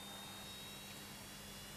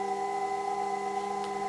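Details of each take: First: Early 1960s Leevers Rich Series C location reel-to-reel tape recorder on its transistorised DC-to-DC power pack after the rotary converter appeared not to work: faint steady hum with thin constant high-pitched whistles; the power pack whines, possibly straining. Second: Rotary converter of a vintage Leevers Rich Series Cs location reel-to-reel tape recorder, just started working again: constant low hum with a steady high whistle, its normal running sound, though brushes sound worn.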